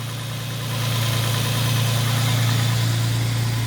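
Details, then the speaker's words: Nissan G35 with aftermarket tubular headers, after fixing header-to-steering-shaft interference causing dash rattle (loose passenger downpipe tightened, new bolts and gaskets): steady smooth low idle hum, no rattle or buzzing vibration; normal idle. "all right everything's back on downpipes are tight again uh this one up here uh on the passenger side had come loose that's all tightened down new bolts new gaskets everywhere just gotta put the intake back on well i don't yet hear any vibrations"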